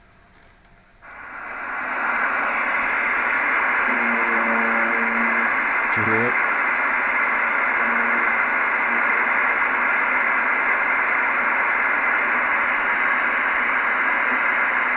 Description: Strange electrical arcing sound oh my CB radios . just started today. Does anybody have any idea what it is? Nearby Transformer Maybe.